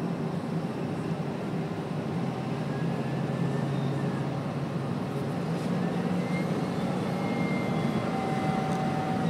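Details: 2011 Ford F-550 diesel: steady drone with a thin whistling whine rising and falling with engine speed. The damaged turbocharger has a chunk missing from a fin and is close to failing.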